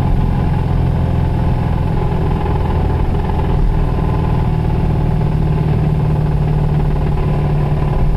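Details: 1991 Toyota Celica ST idling: loud, heavy rumble with a dull, even knock from a bad connecting rod bearing. The engine threw a rod about 15 minutes later.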